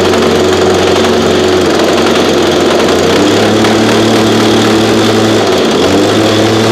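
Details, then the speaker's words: Backup two-stroke unit that sat about 8–12 months, cold start around 30°F on ethanol-free fuel without stabilizer: blaring at high revs with wavering uneven pitch and dips; rough running, owner hears blown bearings and suspected a carb issue, unconfirmed. "so okay so runs pretty rough honestly this is why i don't use this unit here"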